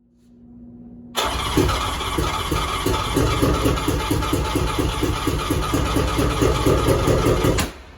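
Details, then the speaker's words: Three-cylinder 1100 engine with the other two plugs out: catches and runs rough, loping chuffing beat about two per second, firing only on the middle cylinder; cause unknown. "so it'll start and run easily on the mid cylinder with the other two plugs out whatever the issue is i've narrowed it down so that it seems to be running perfectly all the time on the middle cylinder"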